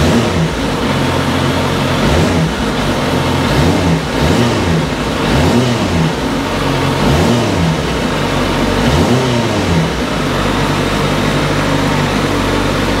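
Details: 2010 Suzuki GSX650F motorcycle, 20,914 miles: fires and settles, then several quick throttle blips rising and falling cleanly, no knocks or rattles; healthy startup and idle.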